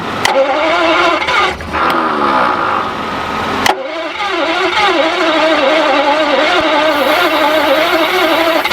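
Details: Barn-find Jaguar/Daimler Mk2 hemi-style 2.5 litre V8, previously seized, running on fuel poured in: rough running with steady rapid knock about two per second; suspected seized gudgeon pin or piston knocking in bores, unconfirmed.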